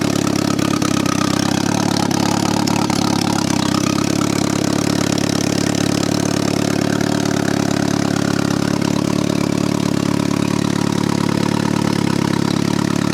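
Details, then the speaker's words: 1995 BMW E36 318ti turbo, second start: a four-cylinder idle with a slightly uneven, lumpy beat and a deep burble, running very rich. "so so it is running pig rich pig rich rich my first turbo vehicle"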